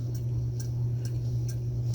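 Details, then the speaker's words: Mid-1950s Wright & McGill Fre-Line Model 10-BC spincast reel after service: over a low steady hum, a faint light scrape about twice a second, once per handle turn, only when pickup pin is out, not turning back. "but every about every turn you hear just a little bit of a scrape"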